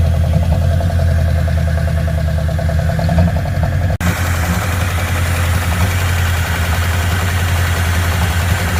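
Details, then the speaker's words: Ford Fairlane V8 engine after replacing distributor whose worn gear wasn't meshing with the motor's gear: steady deep slightly fast idle, even beat with no tapping or knocking; noise gone, healthy idle. "got it all buttoned back up started it up guess what no noise noise is gone"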